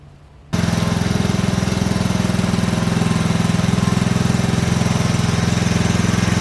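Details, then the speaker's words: Tohatsu M40D 40 hp two-stroke outboard after repairing its 30-year-old worn fuel pump: catches and settles straight into an even, steady putter of about three beats a second with no misses; now running fine. "Well, it seems to be running just fine."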